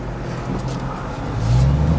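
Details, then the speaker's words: 2015+ Subaru WRX just after a retune, engine warm after a drive: steady low whoosh of the electric cooling fans over a smooth engine, building slightly; fans appear to now switch on past about 210. "It's interesting, I can hear the fans running and it's actually cooling things."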